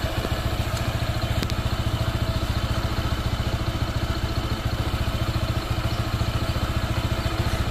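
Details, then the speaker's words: Honda PCX 160 scooter, new and not yet broken in, idling with a steady light clatter of about 3–4 beats a second; the owner suspects a loose, flapping drive belt. "ingay na to ano belt medyo malaw una na kaagad nakikita ko na agad yung belt malaw siya"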